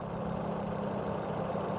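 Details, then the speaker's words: Used 2017 Suzuki Ignis manual four-cylinder, fuel-injected, engine warm, low-rpm idle during a pre-purchase check: steady, even low hum with no misses or knocks; injection very smooth, clean normal warm idle. "Heles ini mesin hai Suzuki ignis 2017 manual biasa coba hayo dengarkan di putaran mesin bawah Hai yang dihasilkan dari empat silinder English 2017 varian manual ini dari sistem injeksinya sangat halus"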